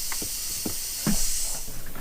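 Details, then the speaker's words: 2008 Mercury 225hp Optimax lower unit gearcase, pressure tested after water found in it: constant high airy hiss with faint handling knocks, air escaping around the prop shaft seals; prop shaft seals bad. "oh yeah you can hear it but where is it coming it's coming out right around here somewhere so those seals are gone yep that's where it's at"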